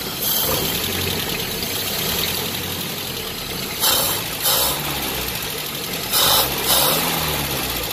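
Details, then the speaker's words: Land Rover engine idling after all valve tappet clearances were adjusted with feeler gauges: steady idle with a few brief hissy surges and no sharp tappet tick standing out; valve clearances sound right. "Oh, doesn't sound all that bad."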